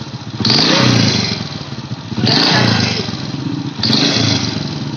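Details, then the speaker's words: Honda Supra Fit motorcycle: smooth at idle with slight valve noise, but three throttle blips bring a harsh rattling knock rising with revs; owner suspects leaking head gasket, not piston, unconfirmed. "Hai kalau kita hidupkan Biasa sebelum digas itu motor suaranya normal memang sedikit agak bunyi bagian klep Ya tapi kalau kita gas itu tambah parah bunyinya bunyinya seperti ini Mas ya"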